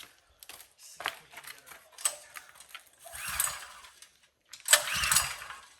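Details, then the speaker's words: Power washer small engine, gas on, choke on, plenty of oil, clean filter and carb: two rasping pull-cord cranks with no firing at all; suspected no spark, not confirmed, and the plug looked clean. "Sounds like it isn't getting any spark. Plenty of oil. Choke is on. Fuel's on. Filter's clean."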